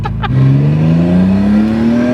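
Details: Twin-turbo RB26 swapped into an S13 240SX with CD009 six-speed, Haltech ECU, 91 fuel, on the dyno after a burnout: engine note climbs slowly and evenly with no turbo spool or whistle, no power band; loss of boost from a popped intercooler coupler.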